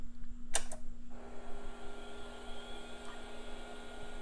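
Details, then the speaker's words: Packard Bell Legend PC after cleanup, reassembled with a new external CR2032 CMOS battery: a click at power-on, then a steady, even hum with a faint high whine and no scraping; the hard drive spins up healthy. "Hard drive sounds good."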